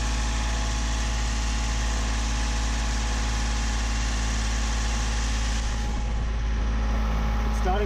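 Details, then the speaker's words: Yanmar 3GMD marine diesel in a 28-foot sailboat, underway after injector cleaning, about 2000 rpm, under 5 knots: steady drone with a shaky, uneven pulse; improved but still rough, smells burned, boat shakes at higher rpm; cause not yet known. "if it's been fixed it's definitely it's definitely improved some but i still think it's a bit uh it's a bit shaky usually it wouldn't do this"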